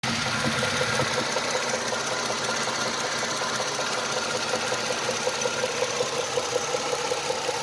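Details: 2004 Chrysler Sebring 2.7 V6: steady, even knock over the idle, about two or three a second, tied to engine rhythm; spun connecting rod bearing.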